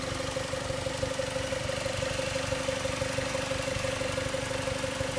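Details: 2006 Mazda Miata MX-5 NC idling: steady petrol idle with quick, even light ticking or clicking on top, about three ticks a second; owner asks if normal.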